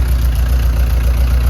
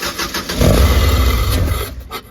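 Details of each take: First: 1999 Subaru Legacy 2.2 flat-four swapped into a VW bus, started the day after its first fire-up with no coolant in it: fires right up, smooth rock-steady low idle with an even pulse and no stumble or knock. Healthy. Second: 1999 Subaru 2.2 flat-four in a VW bus, intake off, cranked on starting fluid: starter cranks in quick pulses, engine catches then fades. Ignition is fine but there is no fuel pressure; owner suspects the used fuel pump.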